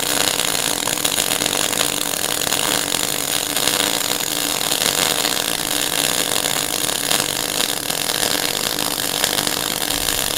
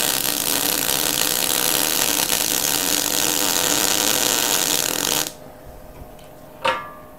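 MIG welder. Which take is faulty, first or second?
second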